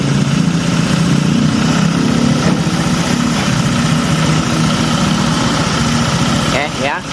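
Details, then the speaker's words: Honda Vario 125 scooter that stumbled when cold, now cold-started after a long rest with the speed sensor reconnected: smooth, quick, even putter with no hesitation, responding immediately; the speed sensor also affected the stumble; normal idle. "dinyalakan dia masih normal dia normal gitu intinya enggak enggak berebet langsung respon oke nah Ini suaranya lembut"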